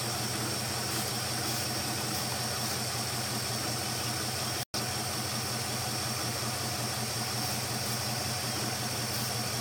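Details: 5.7 Hemi V8 at a steady idle with a busy, uneven churn and a lot of top-end hash; running rough at idle, cause not yet pinned down.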